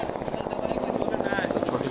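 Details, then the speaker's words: Hero Pleasure scooter after greasing dry self-starter parts near the kick-start that caused harsh noise: engine catches and settles into an even, steady putter with no misses or knocks, noise gone. "अब जब हमने इसमें Greece लगा दिया है, तो शोर बंद हो गया है।"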